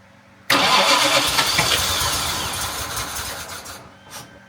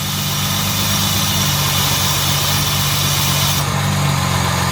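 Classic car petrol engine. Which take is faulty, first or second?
first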